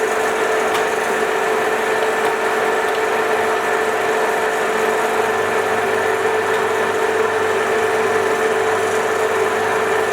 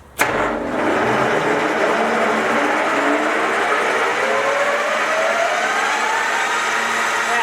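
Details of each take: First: 1966 Soviet Stanko 1A616 lathe, first run after arrival: a steady hum with a constant rough scraping rub from below. Owner suspects the drive belt is rubbing on something. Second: Soviet 1966 Stanko 1a616 lathe in second gear at top spindle speed, about 2200 rpm: gear whine climbs in pitch as the spindle slowly spools up, then holds a smooth, even, heavy hum; normal running at top speed.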